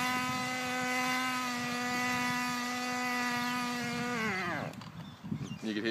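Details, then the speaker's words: 1/10 nitro RC car engine: steady high buzzing idle sags in pitch and sputters out; engine stalling, owner suspects it flooded itself, cause unconfirmed. "it flooded itself or something."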